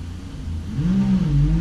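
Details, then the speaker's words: AccelaVelo Mag-X magnetic bike trainer with a 29-inch mountain bike, after reseating the magnetic unit that malfunctioned out of the box: smooth whir climbing with pedalling, no gritty scraping; small flywheel; loudness likely from knobby tires. Normal. "definitely very loud a lot of that is probably just my mountain bike tires I'm guessing I could get some smoother hybrid or Road tires"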